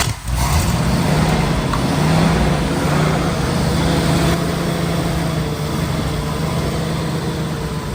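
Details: Jensen Interceptor-built Land Rover first run in 25 years after new starter motor, fuel and oil pressure fixes, coolant being topped up; quick catch on start, then even, steady running with no knocks or rattles, healthy.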